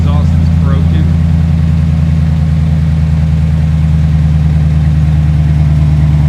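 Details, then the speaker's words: 2010 Dodge Ram 1500 5.7 Hemi (described with a lifter/cam issue) after fresh oil and coolant, no leaks: deep, even V8 burble without ticks or misses, purring but loud through the broken exhaust; healthy idle. "It's purring. Kind of seems loud. Got some oil."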